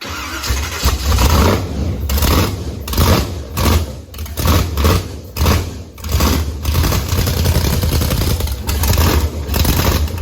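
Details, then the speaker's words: Blazer with Texas Speed supercharged (blower) V8, first fire-up, good oil pressure, belt noted too loose: deep lumpy V8 rumble with sharp throttle blips climbing and falling cleanly; runs strong and healthy. "Sounds so good. Pretty nice. Perfecto, yeah."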